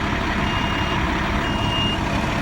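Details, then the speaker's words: Fire tender (Tanker 4, WaterMaster) with main on and vent open, fire pump engaged: heavy steady drone with a faint high beep, no knocking or grinding; pump engages and runs smoothly. "Main on. You want your vent open. Turn your fire pump on. You can hear your pump turning"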